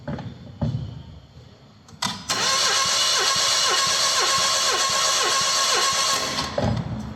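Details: Renault Clio phase 2/3 petrol, suspected head gasket failure losing coolant, cranking during compression test; even steady starter rhythm about four beats a second, no stumble, healthy compression on this cylinder though another cylinder reads low.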